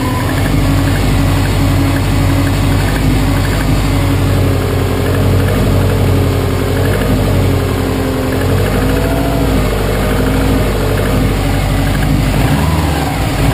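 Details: 2005 Saab 9-2X Aero, 130K km, semi-rebuilt with new timing belt and head gasket: steady idle with dull, rapid, even tapping under the exhaust note; suspected piston slap or bottom-end knock, not confirmed.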